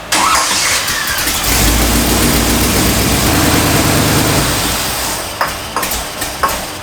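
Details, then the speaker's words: 1965 Cadillac V8 after a new carburetor, throttle linkage reset to close fully and floats lowered: it starts right up but coughs and sputters for about a second after key-off, engine run-on (dieseling); throttle hanging open ruled out, owner suspects a vacuum leak. "Hit the key, starts right up, but it's still trying to diesel."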